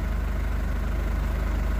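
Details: 2011 Ford Ranger diesel after ECU repair cured a no-start: low, even idle at about 755 rpm with a steady throb and no knocks or stumbles; no fault codes, normal healthy idle.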